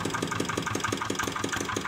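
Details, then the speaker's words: Single-cylinder diesel after a repair, previously hard to start: it now starts easily, cranking is lighter, and it runs with an even, smooth beat and no misfire. "Oke sobat diesel ternyata mesin diesel ini sudah enak sekali hidupnya ya jadi mengengkol nya pun sudah tidak terlalu keras seperti sebelumnya ya"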